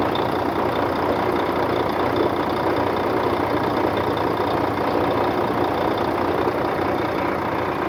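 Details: 2004 Volvo truck diesel, recorded with the hood open after the truck sat 6 years in a truck graveyard: steady, even idle with a rough chatter but no distinct knock or miss; runs fine.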